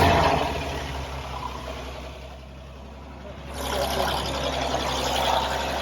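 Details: 1929 Chevrolet International truck six-cylinder, first start after restoration with fresh fluids: low steady idle with an even beat, no knocks or misses; normal idle.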